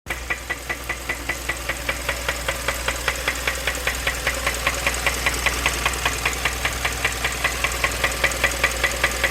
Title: 2015 Kia Optima Knocking Sound